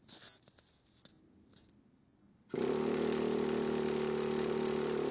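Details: Traxxas nitro engine with EZ-Start, new glow plug, HSN adjusted, fresh fuel, not flooded, ran the day before: starter spins at a steady even whir with no popping or firing; cranks but won't start, cause unknown.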